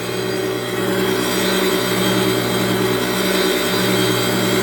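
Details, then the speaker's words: Flywheel from a manual-transmission car or truck being resurfaced on a grinder: a steady droning hum with a fine gritty hiss and faint slow pulse as the stone cuts normally; the feed is turned by hand and water keeps the stone cool. "can hear that you can hear the difference on it you start cutting again that's a little bit much but I'll back it off just a hair I don't want to overheat the flywheel"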